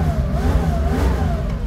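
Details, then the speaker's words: 1973-style Porsche 911S backdate (ex-1976 912) with a rebuilt 2.7 L flat-six from a 1975 911 on SC cams, new SSI heat exchangers and a Dansk Sport muffler. Strong, even rev with a smooth rising note and deep clean exhaust. Slightly lumpy at idle but healthy. "sounds good. That sounds healthy. Brand new SSIs with a Dansk Sport muffler."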